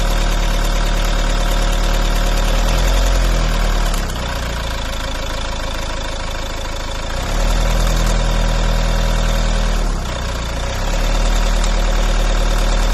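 Idle with a deep, even drone that climbs twice as the throttle is blipped; some odd noise is present, but its cause can't be pinned down.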